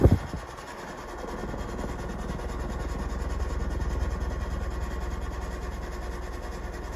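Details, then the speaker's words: First-generation Fasco Heat Cycler ceiling fan at full speed, motor rated 1.4 A, about 0.74 A on medium; steady low motor hum with a light fast rattle, loose housing, cause unclear: housing rattle. "you can hear the housing rattles a little bit i'm not sure if that's because"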